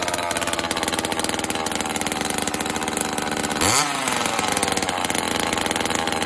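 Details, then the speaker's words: Homelite XL chainsaw after carburetor rebuild, new fuel and oil lines, cold start on choke; crisp steady two-stroke buzz after brief rev, no stumbling, chain oil pumping, low-speed screw adjusted; normal running. "so after a minute or so there's oil coming out of it had to make one more slight adjustment on the uh the low and I think I'm good to go"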